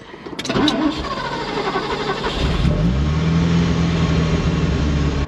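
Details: Ferrari 308, first start in 15 years, hot engine after throttle cable loosened and idle adjustment backed off: cranks, catches and settles to a fast, steady idle that stays high; not enough adjustment yet, cause suspected.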